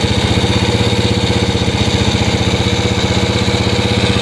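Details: Yamaha Moto-4 Champ ATV first started on a jump pack, fitted with an SDG 110cc pit bike intake manifold and a Honda clone carb: steady single-cylinder putter at about four firings a second, even with no misses or knocks; runs pretty good.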